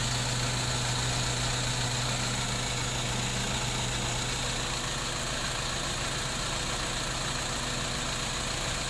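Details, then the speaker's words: BMW E90 320i with N46 petrol engine idling unevenly with a lumpy beat in the workshop, with hesitation under acceleration; codes P0300, P0301 (cylinder 1 misfire) and P0134; single-cylinder misfire from a failed ignition coil. "so it's got that hesitation especially at the lower rage when you are accelerating so it's hesitating on uh acceleration from a standstill"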